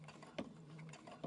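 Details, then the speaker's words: Brother Innovis A150 sewing five layers of denim, stitch length 4, 116 jeans needle: slow dull needle thumps under a light motor whir, under a second apart, as the needle pushes through; the machine handles it fine. "Okay, you can start hearing the thumping coming back a little bit."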